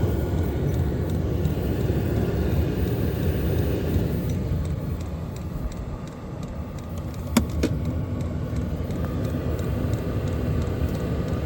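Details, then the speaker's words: Hcalory diesel air heater on a temporary setup, starting up with its fuel pump running, not yet ignited, then beginning to warm: steady low whooshing blower that builds gently with no rubbing, ticking or grinding. Normal heater fan startup. "starting to get a little heat you can hear it spooling up"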